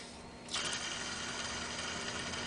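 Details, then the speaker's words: BMW 330i E46 original mechanical belt tensioner pulley, serpentine belt and idler removed, spun by hand: steady dry, gritty rasp with a high hiss; the bearing is likely dry and failed, to be replaced. "this is what it sounds like and you can tell that the bearings is uh more than likely really dry"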